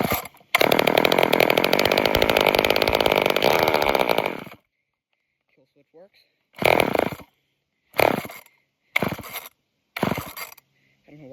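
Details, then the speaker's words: Off-brand junkyard chainsaw, old fuel filter very dirty: screams for about four seconds then cuts out, afterwards only short pull-cord bursts without catching; owner suspects it struggles to pull fuel through the dirty filter. "Now it doesn't want to anymore. Wonder if it's having a hard time pulling fuel. Maybe because of that filter being so dirty."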